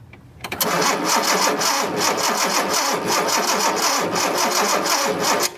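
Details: 1976 Datsun 280Z, fuel injected, with a spark tester on cylinder 6: steady starter cranking, about 3–4 beats per second, with no firing; coil power seemed intermittent, and a loose connection is suspected.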